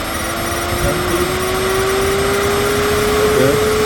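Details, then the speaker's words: 2017 Chevrolet Camaro electronic cooling fan with an integrated driver module, tested on 12 V with its command raised from about 30% to 60%. Steady whirring hum rises in tone with speed, with no rubbing or rattle: fan and circuit normal. "okay so perfect circuit is good fan is working fine everything is good"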